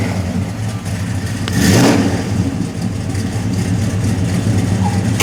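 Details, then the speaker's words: 1969 Plymouth Roadrunner V8, bought turn-key, which the owner says fires within half a turn and runs very smooth: it fires straight up, gives one strong rev and falls back to a smooth, even, throaty idle with no misses or knocks. "Like I said, you turn the key, it fires up half a turn, runs very smooth."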